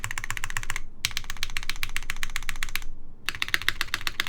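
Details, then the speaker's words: Kitsune TKL keyboard prototype in o-ring mount: quick key clacks with a loose rattle, plate rattling in place because pillars are too short so the o-ring plate isn't compressed enough; spacebar rattle very noticeable; top mount sounded fine. "That sounds like a plate rattling in place. So it likely has to do with this not being sandwiched enough."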